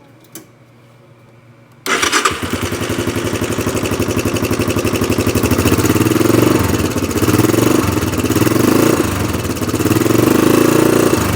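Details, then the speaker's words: Honda Big Red 250 three-wheeler single-cylinder engine swapped into a golf cart, running on a car battery: catches into a steady rapid thump about four beats a second, running evenly; seemed to blow a lot of smoke, owner suspects bad oil ring. "we did fire it up for a second but I'm going to show you guys that it does run and I think you're going to like"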